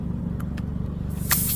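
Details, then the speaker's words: Tire with a nail in the tread: sharp, sustained hiss of air rushing out once the nail is pulled, with steady engine rumble behind it; soapy water then shows the hole before plugging. Tire air leak. "There we go. I can hear the noise, guys. I can hear the noise coming out."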